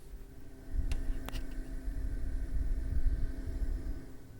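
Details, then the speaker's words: TCL Breeva A5 5-stage HEPA air purifier switched from auto to sleep mode, microphone brought close: very soft steady low hum, faint constant tone, light clicks; fan turning slowly and smoothly, normal quiet operation. "So this is supposed to be very quiet, so it's toning down, and I'm gonna just bring my microphone on around it so maybe you guys can hear, or at least compare the different modes."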